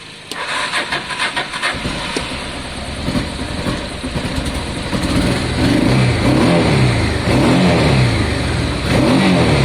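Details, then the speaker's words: Honda Deauville motorcycle, first start after carb clean, fuel pump primed, choke on: sputters a few seconds, then catches cleanly and revs smoothly with even firing; normal start and revving, sounds sweet. "That sounds sweet. Sounds really sweet."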